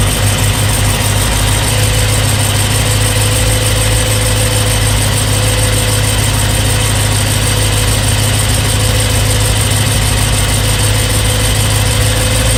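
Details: BMW E92 M3 with S65 V8 at 65,600 miles, oil changed 1 month/300 miles ago: loud steady idle with a fast, light top-end ticking over the rumble; it began when cold and is quieter but still present when warm. Cause unknown.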